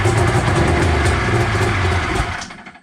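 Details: 1993 Arctic Cat Thundercat 900 two-stroke, first start attempt after a spark check and gas poured down the cylinders: barks and runs roughly for about two seconds, then fades and stalls; it fires but won't keep running.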